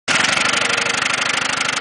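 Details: Ford Taurus engine running with no oil in the pan: fast, hard, evenly spaced knocking, about a dozen raps a second, over a rough idle; rod knock from oil starvation, ran until it seized and stalled.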